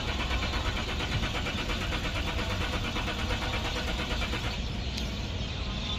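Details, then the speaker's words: 2011 Lexus IS300, customer complaint of no start: starter churns the engine over steadily for several seconds without catching or firing; cranks but won't start. The first test planned is fuel pump pressure; cause not confirmed. "Hello दोस्तों IS three hundred 2011 थे customer complaint है कि घर start नहीं हो रहा है"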